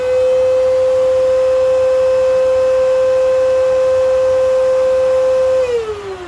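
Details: Old Kenmore vacuum running: loud, piercing steady high-pitched whine holding one pitch for over five seconds, then sliding down as the motor winds down at switch-off.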